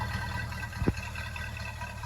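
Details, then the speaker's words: 1964.5 Ford Mustang convertible after carburetor rebuild (leaking accelerator pump fixed): smooth, even idle with steady low rumble, no misses, one brief thump; no longer smoking or smelling rich; normal idle. "not smoking like how it was before it doesn't smell super rich"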